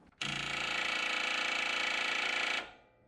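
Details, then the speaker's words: Toro TimeCutter zero-turn mower no-start, cranking with a test light on the wire, which barely glows: fast even buzzing chatter for about two seconds, then silence, engine never turns over. Bad starter solenoid not passing power. "that's telling me that, well, obviously we have a bad starter solenoid, but if you had a good starter solenoid, then this would have power to it."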